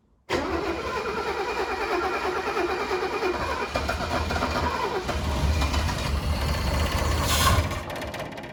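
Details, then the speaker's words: 1983 Mercedes W126 280SE, unmoved for over 10 years, restart attempt: starter churns steadily, fuel pump still inaudible, then engine catches and rises to rough idle; ignition is good, fuel feed suspected (possibly corroded pump supply), not confirmed. "Ah merde, elle donne, hein. Ah là, ouais, elle veut y aller. Ouais, c'est le carburant. L'allumage est bon."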